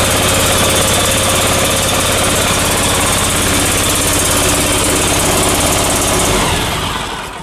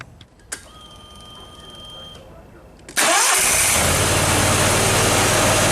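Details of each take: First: Briggs & Stratton Vanguard 37 hp EFI V-twin before repair, running badly with no power: a loud, lumpy beat with missed pulses, as if dead on one side. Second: Briggs & Stratton Vanguard 37 hp EFI engine that ran badly with no power, after fault-code diagnostics and ignition coil work: quick crank, catches at once and runs steady and even, no misses; fault light stays off.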